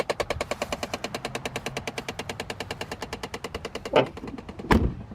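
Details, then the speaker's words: Impala 9C1 from Florida with a worn HVAC blend door actuator. It knocks fast and evenly, at about nine knocks a second, without pause and very loudly. The actuator needs replacing. "Yes, those are my blend-door bongos. Those beautiful blend-door bongos."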